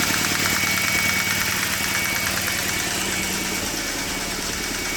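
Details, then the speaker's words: BMW E46 N42/N46 Valvetronic engine first start after repair of oil in plug wells, burnt coils and a loose timing chain: fast steady ticking at about three taps a second over a busy idle; Valvetronic adaptation suspected needed. "le canard a démarré , mais il y a un bruit sourd, il faudra probablement adapter la valvetronic, lepanie."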